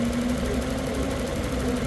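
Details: 2007 Lexus LS460 V8, with a no crank, no start, stalling and no engine-computer communication fault, just started after jumping a sensor wire to the 5 V reference; smooth, even idle with a steady hum and no stumbles or misses.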